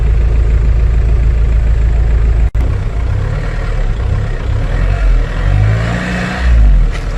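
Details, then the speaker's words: 2003 VW Passat TDI, AVB diesel, hard to start in the morning and at other times: low, sluggish cranking drones on for seconds without catching. The mechanic says this cranking is far too weak for a diesel, which needs a strong starter and battery. "هذه دورة راهي ما تخدمش موتور مازوت. موتور مازوت لازم يحب دمرار قوي وبطارية قوية."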